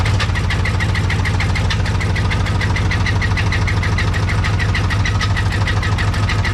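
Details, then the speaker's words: Engine of a project vehicle at first start with the battery in: loud, fast metallic clatter of about three beats a second over a rough idle; known bad rattle, cause unclear. "Got the key in the ignition, so let's see if she starts, and then you can hear how bad it rattles."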